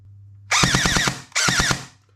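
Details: Brand-new JG Sig 552 airsoft AEG on a 7.4 V LiPo, before reshimming: two bursts of about a dozen shots a second with harsh metallic screech; bevel gear shimmed too tight, fixed by correct gearbox shimming.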